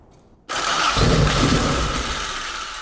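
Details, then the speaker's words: AE86 Corolla 4A-GE with dual Weber 48DCO carbs and ignition box, restart after wiring harness was loomed and taped: cranks, catches within a second and settles into a steady, even idle; still works; normal start. "still works we're good key off"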